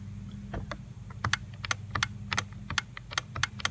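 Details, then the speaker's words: 2003 Chevrolet Trailblazer 4.2 L six, key on, window won't roll up: sharp, uneven clicks at four to five per second over a low hum inside the door. The owner suspects a bad power window motor, which was then replaced. "you can hear there's a clicking noise. I think the motor's bad, so in order to really look at this, we gotta get this door panel off, and I'll show you how to do that."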